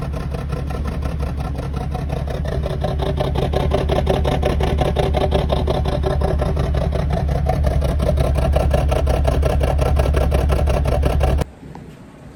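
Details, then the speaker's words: BMW 330i N52 with an intermittent misfire and cutting out when braking downhill, replicated on the ramp; idles with a slightly uneven beat about eleven seconds, then abruptly dies; cause found to be a faulty in-tank fuel pressure regulator, fix is replacing the pump module. "When he brakes, the car cuts out. Went on a road test, couldn't replicate it. Then I come up with a great idea, put it on the ramp, managed to replicate it."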